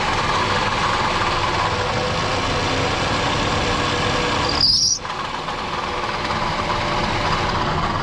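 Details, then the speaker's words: Toyota Camry 2.4 petrol idling with a dull, uneven rattling knock; the noise appears with belt tension and disappears when slackened. Likely water pump bearing; VVT-i couplers were first suspected, and the ignition coil was not the cause. "Предварительно это помпа. Ну, большая вероятность, что это помпа."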